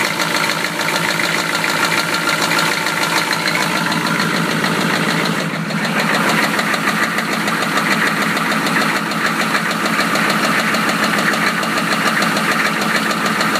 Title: 1993 Chevy rod knock pt.3